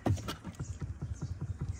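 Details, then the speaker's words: BMW G12 7 Series dash after reinstallation, panel shaken by hand: quick, hollow plastic tapping from a loose corner where a screw was left out, the kind of noise heard while driving. Dash panel rattle from missing screw. "That tapping noise. Now, I know I missed a screw down here in this corner, but I just wanted to give you guys an example of what you can do."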